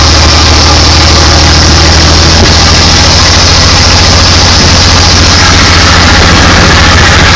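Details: Studebaker Hercules engine after rebuild: loud, deep, even idle with a steady low firing beat and no knocks or misses; normal idle.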